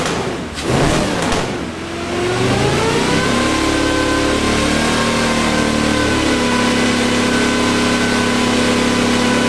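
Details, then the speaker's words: Off-road wrecker on a stopgap exhaust, warming up with no load: brief crank, then it catches and small throttle blips rise and fall cleanly. Reversed sensor wiring that gave a bad RPM signal has been corrected, apparently firing on all cylinders. "So give it small revs and it'll start tuning outside of this little band it's on right now. I think we're firing on all of them now."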